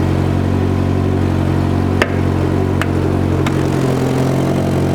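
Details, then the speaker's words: Citroen BX 16 Valve phase 1 idling on the ramp after restarting: steady petrol idle with uneven puffing blow and sharp ticks beneath, from an exhaust leak. "but one of the things I think it's definitely going to need looking at is the exhaust and I discovered this when I started it back up actually on the ramp because it sounds a bit when listen for yourself"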